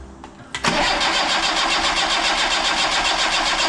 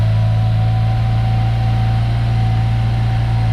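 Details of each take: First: Yugo Sana GL sitting 20+ years, with a temporary battery fitted and oil pressure built up: the starter spins the engine at an even pulse of nearly four a second with no firing or catch; cranks, won't start. Spark plugs are to be checked next. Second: Yugo Sana GL running for the first time in over 20 years, after new spark plugs and a new fuel line. A smooth, even low idle with a steady hum and no misses or knocks. Normal running.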